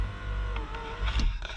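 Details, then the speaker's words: 1992 Dodge Stealth, 100,974 miles: power window motor whirs with brief hesitation then pulls up smoothly; regulator and motor working. "i'm gonna test out the power windows get those regulators tested nope up there we go"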